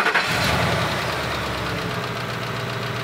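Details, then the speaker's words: Old 5.4-liter V8 truck with five-speed automatic, 280,000 miles, doesn't smoke or burn oil, started and idling steadily with a faint light lifter clacking, expected on an old engine. "sounds decent i can hear a little lifter clacking but you expect that on an old engine"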